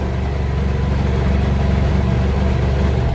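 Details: BMW F800GS idling with a new Motobolt battery fitted while the charging system is measured at about 14.15–14.33 V, charging properly. Deep, steady twin thrum with no misses or knocks; smooth, even idle.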